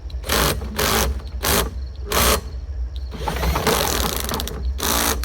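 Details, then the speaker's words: Lawn-Boy brick-top mower, bought cheap and untested, pull-started by hand: repeated starter-cord pulls, each with a short burst of popping as it turns over; compression sounds decent, normal cranking with compression, not yet started. "This sounds fantastic, doesn't it? Spun her over a bunch. You can hear it popping like maybe it's got some compression."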